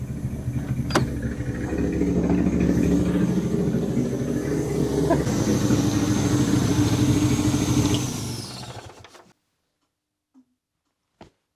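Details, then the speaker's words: Saab 900 Turbo Commander with Bosch K-Jetronic injection, abandoned 10+ years, first running on its own fuel supply: lumpy uneven idle that stumbles and won't take revs for about eight seconds before dying; owner suspects clogged injectors needing cleaning. "it's running under its own fuel supply now it's not perfect I can hear that it's not really wanting to take refs just yet"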